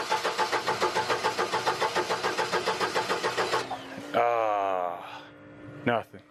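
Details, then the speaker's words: Upright AB62RT boom lift, unused and sitting for over a year; fuel pump heard running, battery cables possibly mis-connected. Starter cranks steadily with even compression pulses and a small puff but never fires; suspected bad fuel; crank no start. "Oh starting to go there did you hear that it's probably bad fuel I heard a little bit of a puff"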